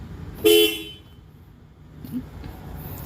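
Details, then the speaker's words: Ford Ranger 3.2 that won't start (limp mode), horn sounding once automatically during a body control module (BCM) test; one sharp horn toot then quiet, horn working normally. "Automatic siyang nagano. Automatic siyang nag horn kasiading niya yung ano e."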